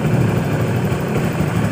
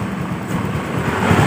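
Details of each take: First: Honda Beat FI scooter after repairing a seized piston (piston and piston pin sanded until smooth), pressure raised from 20 to about 40 PSI; steady, even low putter with no misses or knocks, engine idles smoothly and normally. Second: Honda Beat FI scooter after seized-piston repair, runs only with throttle held: uneven low rumble surging and sagging, won't idle alone; fuel pressure only 19–20 PSI versus normal 40–42 PSI from weak fuel pump.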